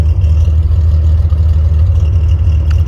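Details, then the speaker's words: 1972 Datsun 240Z L24 inline-six revived: even, steady low rumble with no knocks, misses or ticks; running cleanly. "This thing's going to the Mitty this weekend, and pretty elated. Sounds too cool, man."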